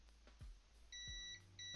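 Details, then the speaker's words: Digital Xbox One S 1TB with no power: probing the 5 V line test pad and the caps at the board's top left, the meter gives two steady high continuity beeps, so the 5 V rail is still shorted to ground. "still got a short man still got short guys"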